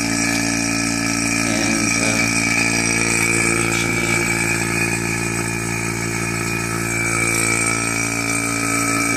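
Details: Single-stage 2.5 CFM non-name-brand vacuum pump starting a pull-down, louder than the two-stage: loud steady motor hum with fast even buzz, no knocking or grinding; runs normally, reaching a little over -29.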